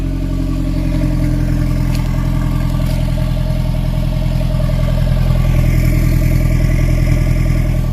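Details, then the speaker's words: Nissan S14 after replacing old leaking exhaust flanges and fixing welds: smooth, even exhaust pulse as revs rise and settle, slightly louder, no puffing or ticking; exhaust leak fixed, normal exhaust note. "The exhaust leak is fixed. It sounds a little louder, and yeah, it's it's good now. There's no exhaust leak. It sounds really good."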